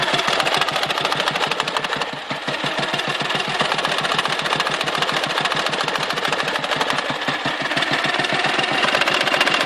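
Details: Dnepr motorcycle engine with sharp, rapid, intermittent knocking. When the knock appears, power drops and the carburetor spits fuel; it runs smooth when the knock disappears, which happens before stalling or at high rpm. Cause unclear.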